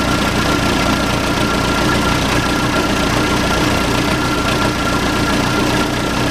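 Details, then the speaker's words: Case 580C backhoe diesel, unrun for 10 years, started with ether and no coolant: steady, even idle with clean knock rhythm and no stumbling; runs fine after storage, normal diesel idle. "it runs. Sounds pretty good too. Did you get that? Bought a running backhoe, $2,800 bucks."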